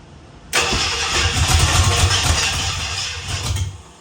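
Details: 1967 Ford Bronco, last ran 16 years ago, carbureted; catches with a ragged uneven roar for about three seconds then dies; owner thinks ignition is out of time and rechecks firing order 1-3-7-2-6-5-4-8 and distributor rotation.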